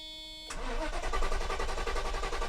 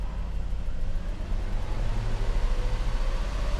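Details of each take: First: 1990 Mercedes 560SEC (W126) right after replacing the fuel pumps and fuel filter: steady starter cranking with no firing, faint fuel pump hum behind; fuel not yet primed through the filter to the engine. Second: 1990 Mercedes 560SEC (W126) after replacing both fuel pumps and the fuel filter to cure stalling: engine revs smoothly to a higher steady speed and holds evenly with no misses, running healthy.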